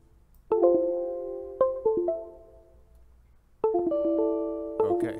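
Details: WD external hard drive plugged in, light on and spinning: the computer's device chime sounds in quick bursts and repeats a few seconds later as the drive keeps connecting and disconnecting.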